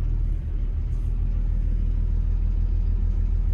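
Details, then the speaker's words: Develon/Mecalac construction machine diesel at idle with black smoke, before cutting injectors one at a time via laptop; steady low idle with an even knock about three per second; suspected injector knock, cylinder not yet found. "bit of a diesel knock bit a black smoke beling out of it too so we'll see"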